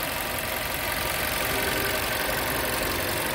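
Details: Skoda Octavia 1.4 TSI at 152,000 km after timing chain replacement, held at idle several minutes: steady, even petrol idle with bright top-end whir, no rattle or knock, unlike the serious noise it made on starting before.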